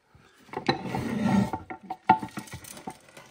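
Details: NV4500 5-speed transmission from a 4x4 Dodge Ram Cummins, teardown after horrible noises, metal chunks circulating in the case: bearing turned by hand gives a gritty, uneven rumble with catchy clicks; rough, worn bearing.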